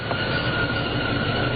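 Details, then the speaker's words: 1992 Jeep Cherokee Limited 4.0, idling with electric fans running: constant high-pitched squeak over the idle that returns with throttle and goes away when water is sprayed on the belt; worn serpentine belt slipping, replacement planned. "okay so here you hear that squeaking noise so give us some juice and gone there's again and it's air is gone"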